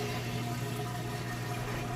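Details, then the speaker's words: Whirlpool HE top-load washer, like-new, draining after wash: steady low pump hum with water rushing through, even and unbroken, draining fast; normal drain pump operation. "the ride is started draining the water out here drain it nice and fast"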